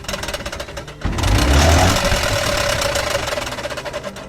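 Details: Electric tricycle wheel spun: rough rhythmic scraping knock about four times a second inside brake drum, wheel heavy and brakes weak; glued brake lining detached from shoe with age, brake shoe replaced.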